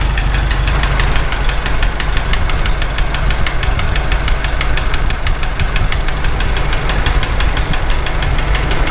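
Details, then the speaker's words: Farmall H tractor engine after rebuild, at idle: sharp regular knocking that comes and goes, loudest near a loose rocker not closing to the block; screwdriver wedge didn't cure it; owner suspects cylinder 3. "It's still there. That rocker is not closing up to the block at all. That's not moving. It actually sounds the loudest right there."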